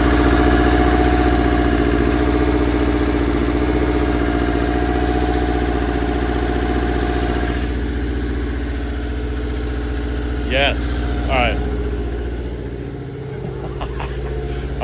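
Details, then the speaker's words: 1997 Subaru Impreza Outback Sport with a 2004 WRX turbo boxer swap, after correcting timing that had jumped. Even, smooth idle with no skips, running cleanly on all cylinders; before the fix it was missing badly. Alternator disconnected. "shut it off I don't want the belt to jump again it was pretty loose but this sounds promising uh before it was missing real bad"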